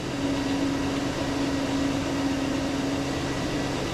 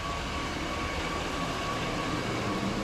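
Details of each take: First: High idle at 904 rpm against a 575 target, coolant 197, fuel trims near zero so not a vacuum leak: steady, even fast drone; suspected hung-up linkage or binding throttle plates. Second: Engine with higher-than-normal idle rpm, after loosening overtight cruise control cable off base idle stop: low, steady 588 rpm idle, IAC desired 55, open loop, fuel trims near zero; normal idle.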